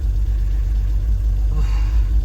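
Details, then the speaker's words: Impound-auction BMW E46 330i on its first start after an EWS delete, very low on fuel: a deep, uneven, hunting idle with a rev flare and lean backfires in the intake. Vacuum leaks are suspected. "Probably has vacuum leaks. Oh yeah, I can hear the lean fire, backfire in the intake."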